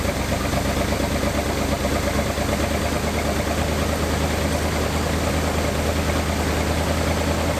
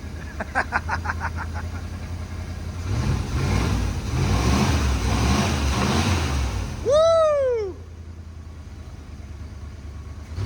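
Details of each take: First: 1986 Dodge Diplomat police car V8, parked 25 years and recently revived: held at a fast, steady idle with an even low drone and no misses while warming to open the thermostat and check for leaks; high idle. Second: 1986 Dodge Diplomat police car parked 25 years, after adjusting an out-of-adjustment cable: steady, low, even V8 idle with regular beat, no shake or miss; smooth normal idle, calmer than the earlier jittery idle.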